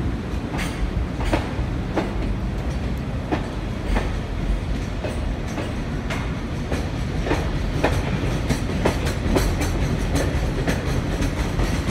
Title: 2021.3.22 貨物列車 EF65-2063牽引 4073レ 小山駅発車 フラット音多め